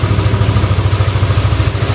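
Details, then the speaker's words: Yamaha Aerox scooter after bearing replacement with original bearings, following earlier oil-starvation damage: steady, even single-cylinder idle thump about eleven times a second with no tapping or knocking; judged safe, normal idle. "sih kalau untuk su Kalau menurut saya sih udah aman"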